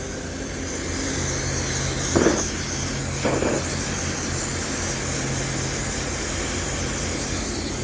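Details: Homemade Kwiky oil burner on compressed air: constant jet-like roar with brief flaring bursts, sounding promising; owner suspects too much air pressure, around 40 psi suggested; later suspects the new lid's hole is too small and smothers the flame.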